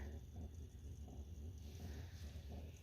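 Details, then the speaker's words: Van diesel heater after a temperature sensor replacement and battery reconnect: a low, soft blower hum with fuel pump clicks about every third of a second as it starts heating; a normal start-up. "we will see here if the uh fuel pump kicks in and it starts heating up okay I hear the fuel pump clicking should start to heat up here"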